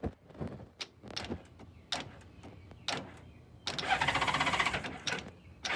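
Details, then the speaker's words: 1994 Honda GL1500 Goldwing Aspencade, first start after aftermarket fuel pump replacement, on center stand, key on in neutral: rapid uneven clicking, no crank; owner suspects battery run down during compression test, headlights on. Starter clicking, cause unconfirmed. "lots of clicking but I don't know the headlights on I could have run the battery down during the compression test which is possible"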